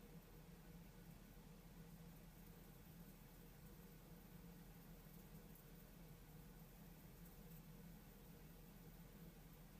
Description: A squeaking noise inside the Unit